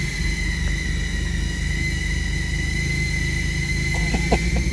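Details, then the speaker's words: 2007 Infiniti FX idling: steady high whistle over the rumble without changing pitch, sounding like a vacuum leak; fuel trim readout confirms it is running lean. "yes I hear it it sounds like a vacuum leak from experience but I always like to see what the computer is doing"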